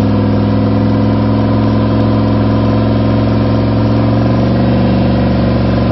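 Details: Freshly rebuilt V8, first start after new gen 4 rods and pistons, new oil pump, new cam and lifters, all new gaskets; steady even idle with smooth low throb and clean rev pickup, no ticks or knocks; healthy.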